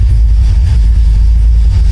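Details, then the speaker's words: 1972 Cutlass carbureted V8 with a newly fitted switched electric fuel pump, system at 14 volts: it fires up without pumping the gas and settles into a deep, steady rumble with no misses, surges or knocks. A normal idle. "when i flip the switch with the fuel pump it gets fueled the carburetor right away it fires up now without even hitting the gas"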